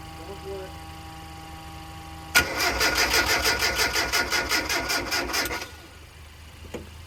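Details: Mazda Miata after engine and transmission install with wiring harness and ECU work, fuel pump priming rails: starter turns engine in steady pulses about three a second for three seconds but never fires; cause unconfirmed.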